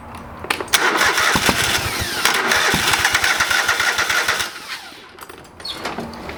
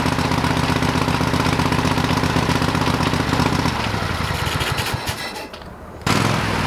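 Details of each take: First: Old lawn mower's small engine just after a carburetor rebuild. A long stretch of steady cranking, about four turns a second, before it catches while the float bowl fills with fuel. It fired, but not right up. Hard starting after carburetor rebuild. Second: Old lawn mower, still on old gas in the tank: steady single-cylinder putter about four beats a second, briefly dropping under load then picking back up cleanly; running normally.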